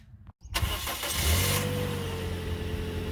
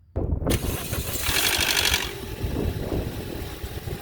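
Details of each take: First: Toyota Corolla after repairing the intake cam gear start-up rattle without new parts, valve cover reinstalled: a quick catch, a brief rev flare, then a smooth even idle with no rattle. A healthy start. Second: Toyota Corolla petrol engine at cold start: about a second of metallic rattle from the intake VVT cam gear, then a settled idle; repairable without buying or removing the cam gear.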